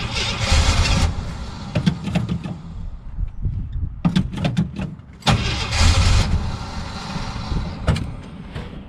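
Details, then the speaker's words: 1977 Jeep CJ7 Renegade, sat 9–10 years, on a jerrican fuel feed. The starter cranks in repeated bursts and the engine turns over but never catches, because the siphon tube popped out of the fuel. Crank no-start from fuel starvation. "so the jeep stolen out there not wanting to start wasn't the deeps fault it was the dummy who set up the jerrican"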